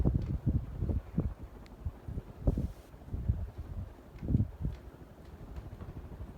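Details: NuTone Verandah II 52-inch ceiling fan with spinner motor and wood blades, running on high speed. Steady low whoosh with soft rhythmic air pulses, no ticking, rubbing or wobble; runs normally.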